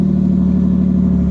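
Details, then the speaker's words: 1989 Chevy Camaro with bad ECM not priming the fuel pump relay, relay now jumpered straight to ignition (VATS bypass): pump heard at key-on, starts right up with no check engine light, then steady, even low idle with no misses, ticks or knocks. "but for now I can turn the key on. I hear the pump. Starts right up,"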